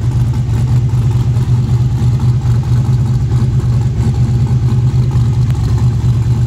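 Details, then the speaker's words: Fresh-built truck engine on its second first-start attempt: loud, lumpy, rowdy idle with a deep steady throb and uneven pulse. Good oil pressure and voltage, but water temp ran a little hot so it was shut off early. "this thing sounds pretty rowdy i think i ought to be able to increase it get a lot quicker time out of it"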